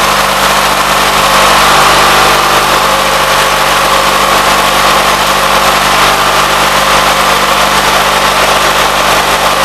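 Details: 1976 Gravely 816 single-cylinder engine giving a steady, even thrum with no misses, knocks or exhaust leaks, after a missing fuse and a wire jammed in the fuse holder were found; normal running.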